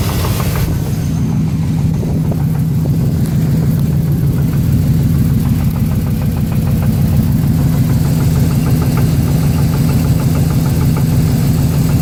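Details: 350 V8 at steady idle with a light, fairly regular tapping about two per second over the low rumble; possible rod knock, not confirmed.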